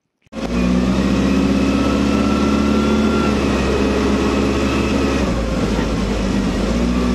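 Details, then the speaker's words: Commer van with 2.3 turbo on road test after new in-tank fuel pump and four fresh spark plugs: smooth, even engine note pulling cleanly, no stumble; misfire gone, performance much improved. "I am back at the house the misfire is definitely gone performance as well is much improved"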